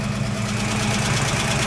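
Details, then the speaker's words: 1969 AMC Javelin 290 V8, carbureted, cold start after sitting about six months: light quick ticking over steady idle, following engine speed; owner suspects a lifter not yet pumped up; accelerator pump leaking fuel. "so I got looking it sound like one of the lifter need to get pumped up where it setting right there"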